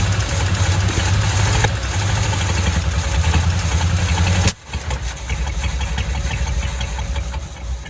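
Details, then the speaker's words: 1985 Chevy C10, 305 V8 with stock Quadrajet, after clearing a blocked tailpipe: rough, loping idle that stumbles and dips, running rich with heavy smoke and still flooding; distributor given a slight clockwise twist. Owner suspects fuel or distributor installation. "Mighty 305 is alive and it is smoking goodness gracious it's smoking"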